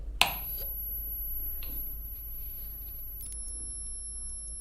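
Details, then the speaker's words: Homemade 12 V to 220 V inverter built from an old UPS transformer without an IC, driving a 100 W bulb it cannot handle: a click, then a thin high whine stepping down in pitch as the transformer strains under overload. "Let's turn it off before my circuit gets damaged, because obviously this circuit cannot handle 100 watts."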